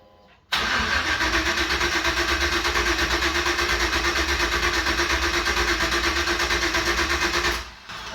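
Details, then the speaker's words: 1989 Chevy S10 Blazer LS swap, first start attempt with LS1 intake and eBay harness, fuel pump running: about seven seconds of fast, even cranking, about three beats a second, no firing, because the crank sensor was unplugged. "right this is not it let's see if we got PCM power so uh you know it helps if you plug in your crank sensor this sensor is the bane of my existence"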